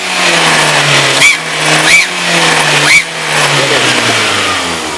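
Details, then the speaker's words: VW Gol engine being revved: sharp hiss and puff of escaping air at the exhaust manifold joint on each throttle blip; leaking exhaust manifold gasket. "Ó faz um barulho horrível aqui ó na junta onde sai do coletor de escap"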